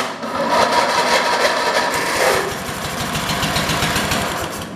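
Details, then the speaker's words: 1980s Husqvarna garden tractor engine, with fuel poured into the intake: small single fires into a quick, even chatter without misses; runs fine. "it is it sounds like it's running fine so maybe we won't"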